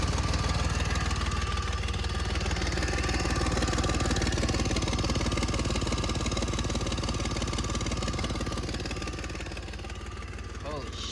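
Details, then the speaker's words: 1999 Lexus ES300, about 147,000 miles, cold start and idle, misfiring on about five cylinders with a serious exhaust leak: rough uneven chuff about four times a second with sharp ticking puffs; misfire plus a leaking exhaust manifold gasket. "Now that we've established that it has more than a few problems and why it was so cheap, let's go ahead and start it so you can hear how it sounds. More importantly, so I can see which of the manifold gaskets is leaking."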